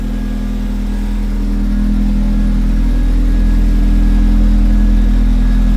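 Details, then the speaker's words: Truck: a steady, even low idle with a smooth pulse and no knocks or misses; lambda reading near a perfect 1, running fine. "But yeah, it's it's running. Sounds good. All right, cool. So, I let it idle for a while. Everything's still running fine."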